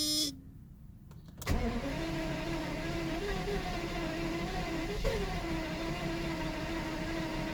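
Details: 1992 Mercedes 600SEL: starter turns the engine over with an even whirring churn for several seconds but it never fires; crank, no start, owner suspects lack of ignition.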